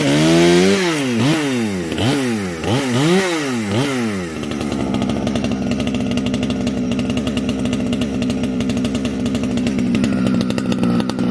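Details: Heavily modified Husqvarna 455 chainsaw with new homemade muffler (can), compression building as it breaks in; several sharp blips, then steady high scream under cut, crisp and strong — normal full-throttle operation.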